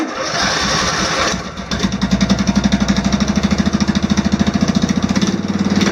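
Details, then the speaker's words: Off-road mower after swapping in an OHV single-cylinder engine with valve lash reset to spec, started unchoked: short crank, then catches and settles into a smooth, even, quiet putter with no ticking; healthy idle. "so it seems to run really smooth it's actually uh the engine itself is very quiet"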